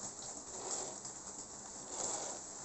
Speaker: we can see that it's much noiser because this has a three-pole motor